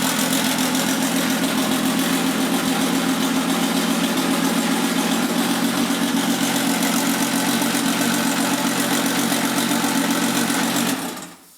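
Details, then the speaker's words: V6 turbo R5 replica on its first start after an engine rebuild: a loud, raspy, steady idle with a harsh crackling bark, then it shuts off. The exhaust is too loud. "Donc là, ce qu'on va faire, parce que vous avez vu, elle fait du bruit, se faire un truc là avec un un truc provisoire là à l'arrache histoire de la faire tourner encore un petit peu"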